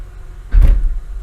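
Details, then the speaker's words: 2003 Honda Accord V6 (J-series) with code P0747: single heavy low thud and shake as the selector goes from park into reverse, much harsher than neutral to drive. Linear shift solenoid suspected; reverse is lost once warm. "I don't know if you guys are seeing this on video but the car does shake when it goes in reverse not so much when you go from neutral to drive"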